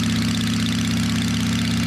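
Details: "Little 81" V-twin motorcycle after tune-up, previous rattle and ticking noises gone: low, steady idle with an even beat and no ticking or rattle, idle set slightly low; normal idle.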